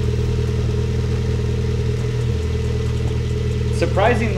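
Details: GD3 Honda Fit 1.5 L with short ram intake and new HKS Hi-Power muffler: low, even idle with deep, soft exhaust note and steady beat, no misses or rattles; surprisingly quiet, healthy idle.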